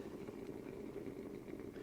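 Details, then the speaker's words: 1991 Mercury Cougar with suspected head gasket failure, radiator cap removed after the hose stayed cold: irregular bubbling and gurgling at the open filler over a quiet running engine; owner says cooling system airlocked with exhaust gases; coolant gurgling. "yeah she's making lots of gurgling noises that's not good"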